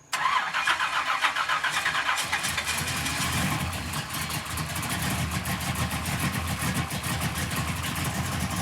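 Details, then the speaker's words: 1967 Pontiac Firebird barn-find V8 restarted after correcting the botched distributor install that had left it with no oil pressure: fires right up to a steady, even lope with oil pressure and no squeak or knock. Normal start and idle. "Got oil pressure? That's a good sign."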